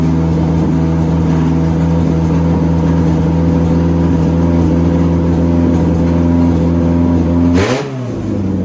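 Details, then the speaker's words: Honda DC2 Integra after fuel line fix, fuel pump primed, header not yet installed; engine fires on first crank and settles into steady, even idle with smooth low drone, no misses or knocks; normal idle. "so right now there is fuel in the motor so i should be able to just crank it and it should turn on the first crank"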